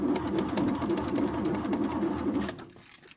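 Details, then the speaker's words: Frozen Ford Taunus after a frosty December night, battery showing full: cranking at about four beats a second for two and a half seconds with no firing at all, even after pumping the gas; won't start cold. "Aracı maalesef çalıştıramadık. Şimdi ben bunu güneşe doğru almaya çalışacağım. Biraz güneş görsün araç ki ısınsın."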